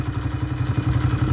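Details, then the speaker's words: Honda CRF70F with a new aftermarket (eBay) top end, restored: small single-cylinder thumps at about nine even pops a second, clean and steady, no clatter or misfire; normal idle after a rev. "but anyhow that's a great sounding motor it just drops right back down to an idle great little bite"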